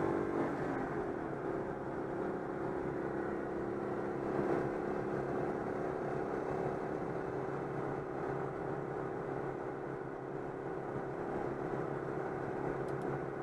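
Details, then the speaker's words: Citroën 2CV at 90 km/h on the motorway after fixing an air leak in the fuel hose before the fuel pump: steady, even drone with road and wind noise, no misfire; normal cruising. "c'est bon c'est réparé je vais à 90 stabiliser les cinq ans"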